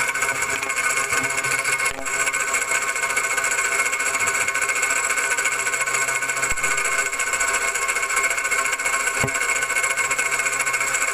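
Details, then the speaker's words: Worn water pump bearing: whirring, gritty noise that vanished with the belt off, so it is outside the engine. Heard through a hose held to the phone mic. Alternator (already replaced) and compressor quiet; the noise is loudest and clearest at the water pump. "So doon lumakas yung ingay sa water pump, doon luminaw yung ingay sa water pump, bearing yung maingay."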